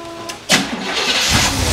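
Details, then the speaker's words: 1971 Cadillac DeVille 472 V8 with a restored Quadrajet, after the high idle was adjusted and the vacuum advance reconnected. It catches cleanly and settles into a steady, even fast idle with no miss: normal idle. "all right you can hear the uh yeah you could hear the vacuum advance kick in a little bit there when they after I had the high it'll adjust a little bit it opens up the throttle plates a little bit and lets a little vacuum get to the distributor and then Smooths it real it Smooths it out really nicely"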